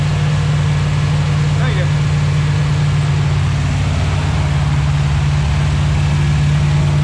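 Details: 241 Red Ram Hemi V8 during cam break-in: deep, steady rumble with even beat, no knocks or misses; about 30 psi oil pressure; normal idle.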